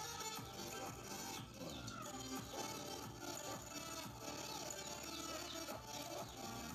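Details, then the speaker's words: Polytron active tape deck before repair, playing music: sound thin, hoarse and muddy, weak and unclear; fixed by replacing electrolytic capacitors (elko). "Suaranya sangat sember sekali ya dan kurang jelas"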